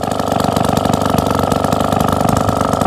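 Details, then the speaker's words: 1954 Atco Midget lawnmower, tiny Villiers two-stroke (83–86 cc), unstarted just over 10 years, no carburettor work, bit smoky; even popping tickover about three beats a second, steady; normal two-stroke idle. "little tiny 83 86 cc videos engine no carburette work required"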